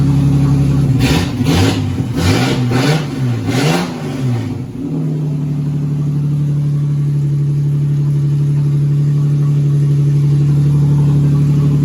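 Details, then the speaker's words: 2004 Ford BA Falcon XR6, being built as a street stock, first start after 3 years unrun and 6 years stored in a shed; oil, water and fuel checked. Cranks, catches, blips, then settles to a smooth steady low idle, no knocks or misses; normal. "so I'll get the old boy to see she'll fire up for the first time in 3 years it's running"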